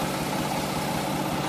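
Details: Mack E7 diesel dump truck idling after new injector: uneven lumpy beat as one cylinder drops out; aerated fuel with weak spray from one pump barrel, cause unknown; cylinder misfire, no longer smoking.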